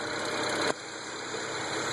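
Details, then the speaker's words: BMW N54 twin-turbo engine at idle, passenger-side turbos: loose metallic rattle stops when the wastegate vacuum canister is disconnected and returns on reconnecting; turbo wastegate rattle. "You see how the noise went away when I disconnected the vacuum canister. The noise came back when I reconnected the vacuum canister."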